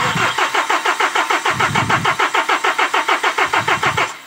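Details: KIA K2500 D4CB diesel, hard start: starter cranks in quick even pulses about six a second for four seconds but never catches; fuel rail pressure sensor suspected of misreading pressure.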